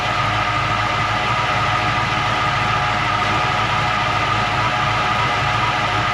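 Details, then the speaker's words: 1940 Mercury hot rod V8 idling with distributor vacuum advance unplugged during timing setup: a constant high-pitched whine over the rumble persists after fitting a new one-wire alternator. Owner now suspects the throwout bearing or transmission, unconfirmed. "that wine i don't know what that wine is must be the throat bearing is whining because i thought it was the alternator"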